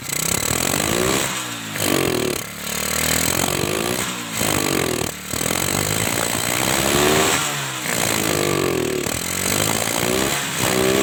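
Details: Kawasaki Kaze motorcycle that had lost ignition, strong spark confirmed, CDI suspected as usual fault; engine starts and runs with buzzy exhaust swelling and dipping with throttle, no misfire or knock; ignition healthy.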